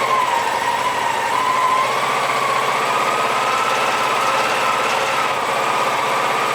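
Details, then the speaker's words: Honda PC-800 motorcycle at 60,000 miles, cold start after carburetor balancing at 4000 rpm and a new paper air filter: on partial choke during warm-up the idle hunts, cycling between about 1800 and 2400 rpm; problem not fixed, cause unconfirmed. "hear that hunting the rpm is cycling between 1800 and 22 400 back and forth back and forth so"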